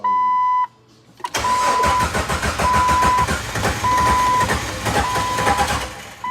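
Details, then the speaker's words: Carson's Jeep being restarted after fuel tank work and priming the fuel pump. Steady cranking with a chime beeping, catching briefly but not picking up while air purges from the fuel line; it then idles rough with check engine light on. "Almost. Get that air out of there. Yeah."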